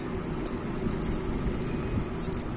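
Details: Kawasaki Barako 175 motorcycle engine running with a dry, uneven metallic rattle over a low drone, heard with the camshaft opened up; worn camshaft bearing, to be replaced with an original 6005 and a second bearing.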